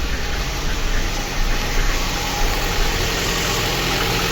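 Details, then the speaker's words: Lada Kalina 1.6 with a used replacement engine, repaired for misfiring, first start after reassembly: after a rough start the idle evens out, running smoothly and quietly with no misfire. "так працює тихенько О вирівнялась вирінялась ну красота"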